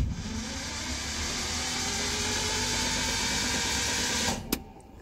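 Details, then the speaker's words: 1968 Datsun 1000 shed find, starter refitted and cranked on the key in neutral. A steady starter whir turns the engine over evenly for about four seconds, then stops, with the fan seen spinning. The starter engages properly; normal cranking. "we have a starter motor that's engaging and is the engine actually winding I can see the fan spinning"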